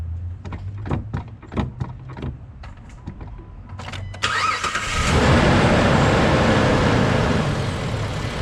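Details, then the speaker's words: Jeep after replacing brake booster check valve and grommet: clicks and crank, engine catches and settles to steady idle with no whistle; old grommet was leaking air, believed fixed, normal idle. "Just like that, I believe it's fixed. Don't know what was wrong with this grommet. Looks fine to me, but air was getting out."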